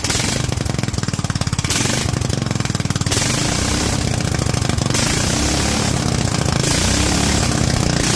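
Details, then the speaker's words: Kohler single with Honda carburetor, .024 idle jet and 45 main jet: chugs in uneven bursts then drones, floating and never holding a clean speed; main jet too lean, rpm hunting. "I hate to say it but judging from how that seems to just want to float at 42 I think we dropped a little too much"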